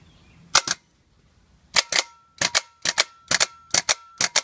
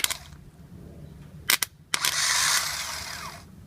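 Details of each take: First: 2010 Toyota Sequoia starter removed, bench test: sharp single metallic clacks in uneven bursts with no whir; clunks, solenoid engages but starter motor does not spin. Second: 2010 Toyota Sequoia starter removed, motor energized directly on bench: short clicks then bright whirring spin about 1.5 s winding down smoothly; starter motor works, solenoid is bad, whole starter replaced.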